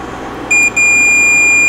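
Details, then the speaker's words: Marantz 1070 amp not leaving protection, protect relay (coil 674 ohms) tested on meter continuity mode: short high beep, gap, then long steady beep; common and normally closed contacts making good contact. "now the way these are set up you have a common set of contacts then you have normally closed normally open so I'm going to put this in diode test mode or continuity so we can hear it"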